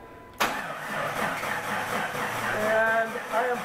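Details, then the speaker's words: Vehicle cranking with ignition disabled (auto shutdown relay removed), starter drawing about 175 amps: sluggish, laborious cranking without catching; bad battery and battery connection suspected, voltage drop test next. "about 175 amps and i believe that is within specifications but you can hear that the vehicle cranks slow and part of that is the battery connection"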